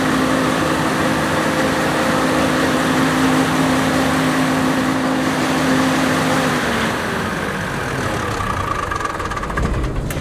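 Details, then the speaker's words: Generator with 1106 diesel engine: drone whose pitch won't settle, sagging and recovering every few seconds, engine visibly rocking; governor hunting and unstable frequency, needing injection pump droop adjustment. "now as you can see there is having a lot of luck fashions and also it's having the engine uh hunting so you can see the engine is like bumping each you can see the movement of the engine that there is a hunting for that one"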